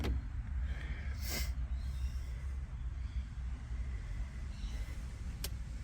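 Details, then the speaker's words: Blown big-block Chevy refitted, timing set, oil pump primed, run briefly without coolant; deep steady burbling rumble with even pulse, no knocks or ticks; idling smoothly and healthy. "it's running really good and I got the timing bang on I was worried I had it um 180 degrees out but I didn't"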